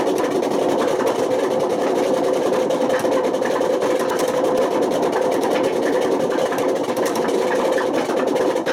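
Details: Washing machine on high spin with failed drum bearings: a constant loud rumbling roar, rough and unsettled. The bearings got so bad they damaged the spider and put excessive wear on the motor.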